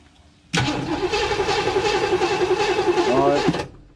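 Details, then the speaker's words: 1958 Chevy Biscayne after years of neglect gives no spark until the key is released; about 11.4 V at the porcelain resistor while cranking. The starter cranks evenly, three to four turns a second, without firing. Cause unconfirmed. "hopefully we can figure out why this thing will not give it spark until you let off of the key that's weird"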